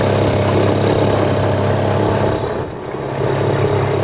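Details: Mercury 2.2hp outboard on a canoe at low throttle, about 6 km/h on maiden voyage: steady, even buzz with only a brief gentle dip, running clean and healthy. Normal running at low throttle.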